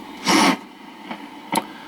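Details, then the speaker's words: Refrigerant leak checked with Accutrak VPE-GN PRO ultrasonic detector, area wetted: irregular crackling bursts over steady hiss from a super small leak. "if if you've got if you've got it wet even a leak that small sounds like that that's that crackling"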